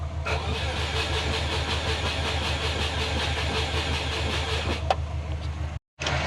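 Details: Subaru Forester on Haltech ECU, battery at 13.3 V, injectors and coils powered, fuel pressure present: even crank at about three turns per second for several seconds, never catches. Owner suspects jumped timing; actual cause was fouled spark plugs.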